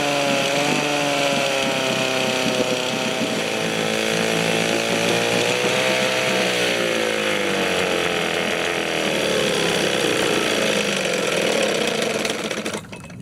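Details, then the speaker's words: 1972 Johnson Seahorse 6HP outboard (6R-72D), first start in 20 years after fresh plugs and fresh fuel: raspy, buzzy two-stroke note, fairly steady, dipping and recovering slightly as speed shifts; running healthily. "there you go fresh plugs that fresh gas and she'll fire off every time"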